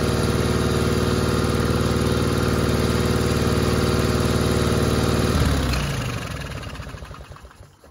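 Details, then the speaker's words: 1960 Onan industrial engine, first start in many years, for a replica Model T truck: steady even chuff at constant speed for five seconds, then shuts down and coasts to a stop; runs healthy. "I don't know but anyway it's running I don't quite understand all the controls yet like that but uh that sounded good right okay that's a success"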